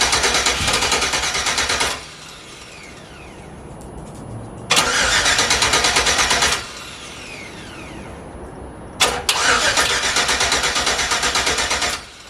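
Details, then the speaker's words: Chevy Yukon with signal wires piggy-tailed into the Holley harness for turbo build, cranking: three cranking bursts of a few seconds, steady even starter churning, engine never catches; cranks but won't start, cause undetermined. "All right, so we went through and tried a bunch of stuff, and then also went and got some gas and put some gas in it, and still no start."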